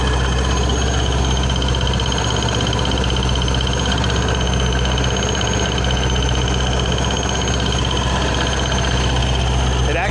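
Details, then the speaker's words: 2006 Ford Mustang GT 4.6 with ProCharger at idle: constant high supercharger whine, which is normal, over a faint uneven bearing-like tick seemingly behind the ProCharger bracket; a pulley suspected, and the belt was found loose and flapping. "I don't know if you can hear that kind of like like a weird like bearing tick but it's not really a tick um the higher pitch noise is just the supercharger it makes that all the time"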